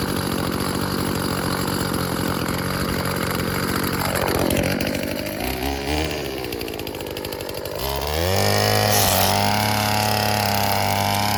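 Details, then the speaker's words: Old Stihl FS36 two-stroke string trimmer tested outdoors: revs up, dips, then picks back up cleanly and holds a steady high speed. Runs normally; its on-off switch is faulty. "Okay, well, it looks like that thing's done. Not bad. Works okay."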